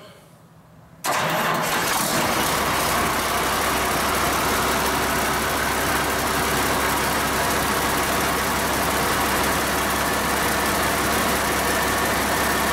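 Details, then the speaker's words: Cummins 8.3L diesel swapped into antique Hyster forklift, first run after installation, about 40 degrees in the shop; fires at once after brief crank and settles into steady even diesel clatter at idle; normal cold start. "uh started pretty good considering it's now probably 40 degrees in the shop"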